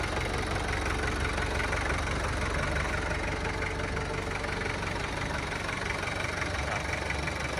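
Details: Kubota M9000SU tractor with a 90 hp factory-turbo four-cylinder diesel and separate injection pump, started without preheating. Steady, even idle clatter, described as very quiet and smooth with no smoke; normal diesel idle.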